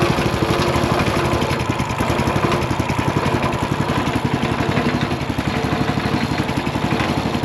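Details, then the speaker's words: Scrapped Ridgid RD80770 3800 PSI pressure washer engine after flushing tank and reverse-flushing fuel filter, running unloaded: steady, fairly even putter, no misses or surging, smoking slightly; seems to run okay. "it is smoking a little bit, but not enough to like I don't know, man. It seems like it runs okay."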